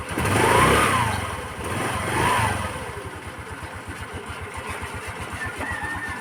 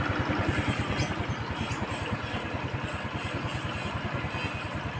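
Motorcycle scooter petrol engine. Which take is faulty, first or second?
first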